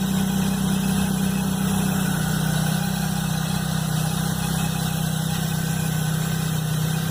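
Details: Chevrolet Blazer at cold idle, noise first heard the morning after a mechanic replaced the timing belt and upper belt: loud, steady rhythmic clatter about four beats a second over the engine hum; cause unknown.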